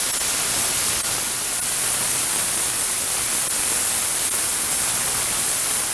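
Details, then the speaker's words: VEVOR 8-gallon ultrasonic cleaner running with unheated water at 19 degrees: a constant loud hiss, even and unbroken from start to finish, the usual cavitation sound, moving dirt. Normal cleaning operation. "Probably kind of hard to see on the video, but it's definitely moving some dirt around."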